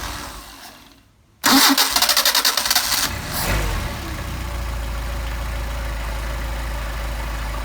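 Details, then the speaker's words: Mercedes 190SL with freshly adjusted Solex carburetors, hot start: brief crank, quick catch, settles straight into steady even idle at about 700 rpm. "We got a needle is stabilized now. It says it's 700 RPM."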